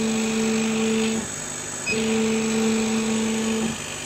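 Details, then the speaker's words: Chinese laser cutter run with RDWorks, gantry head moving at 50 mm/s: a steady mid-pitched stepper hum during two moves that drops out between them. Owner suspects the stepper motor causes the jumpy cut, not confirmed. "I think that it's the stepper motor that's causing the problem because if we listen here this is 50 mm a [Laughter] second"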